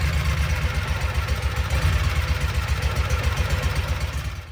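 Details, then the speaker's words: 2012 Kawasaki Mule 4010 with liquid-cooled EFI V-twin, down on power, has a lumpy uneven idle with the rear cylinder dead, confirmed by water spray evaporating; the cause was a broken spark plug, fixed by replacing it. "So, I know without a shadow of a doubt that the rear cylinder is not firing. It's trying. It's definitely"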